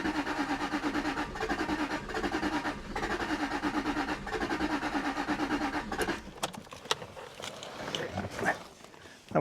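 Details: 2001 Jaguar XK8 coupe, AJ27 engine, unstarted for 10 years, cranked with the fuel pump relay removed after a suspected flood: even, rhythmic cranking for several seconds with no catch; turns over but won't fire.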